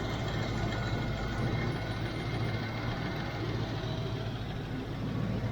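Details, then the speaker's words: 1993 Range Rover LSE V8, cold start: deep steady idle with a faint fast clacking tappet clatter on one side; bottom tappets drain down, slow to quieten, still not perfect after warming; oil pressure being checked. "So the the tapets are draining down. So when you do a cold start it just gets really noisy. So this is taking longer than you know longer than usual to quieten down. You can hear it. It is clacking away on this side."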